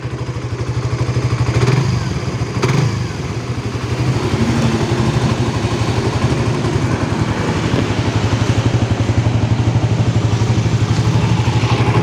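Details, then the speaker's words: Suzuki GSX-R 150 single-cylinder after 6000+ km of touring: even, steady idle with smooth low thrum and no ticking or knocking; only the bike's usual tensioner sound, now reduced, and nothing odd. "tapi itu tidak ada suara yang aneh"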